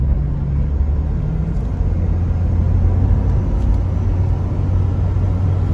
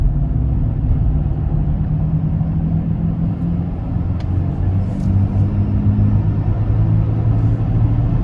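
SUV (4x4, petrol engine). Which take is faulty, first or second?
second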